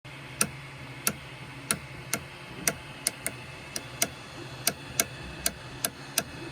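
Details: Micro Swiss direct drive 3D printer extruder when hot, sharp uneven clicks about twice a second over motor and fan hum with slowed extrusion; gear screw not at fault, pushing filament from the spool side briefly stops it: extruder skipping.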